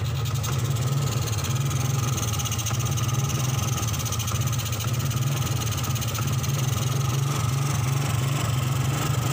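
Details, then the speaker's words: 2003 Suzuki Smash 110 single-cylinder, hard to start: dry, uneven popping stumble instead of a clean beat; very low charging output gives weak 12 V supply to the CDI, causing ignition misfire. "Ini susah dinyalakan karena pengapiannya kecil ya. Jadi untuk berbet di kelistrikan itu mirip seperti telat bensin, cuma dia agak kering suaranya ya."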